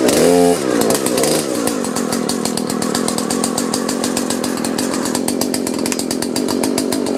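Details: Husqvarna 120 chainsaw whose pull rope slipped, after flipping the starter pulley spring: it pulls over and settles into a steady, even two-stroke buzz with no misses; starts and runs healthy, fix confirmed.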